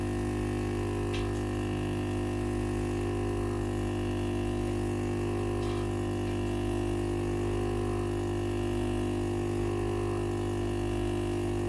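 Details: Philips PSG8160/30 steam iron powers on normally but no steam: steady low electric hum with constant whine as the water pump buzzes continuously without moving water; failed pump.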